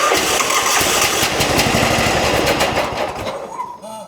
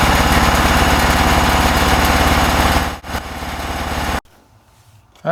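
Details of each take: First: John Deere lawn tractor with crank-no-start, air cleaner off, starting fluid sprayed into carburetor: fires and runs fast about three seconds then fades out; spark and compression present, fuel issue suspected (carburetor, fuel pump or fuel line). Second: John Deere lawn tractor after fixing a crank-no-start fuel delivery issue and reconnecting the fuel pump outlet to the carburetor, carburetor not yet cleaned: small engine thumps at a steady even beat about 3.5 per second with no stumbles, then shuts off; normal idle.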